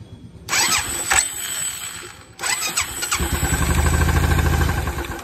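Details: Royal Enfield Bullet after replacing broken one-way starter clutch bearing set and clutch plates: starter whirs briefly, whirs again, catches into steady thumping idle with no grinding or slipping; starter noise fixed.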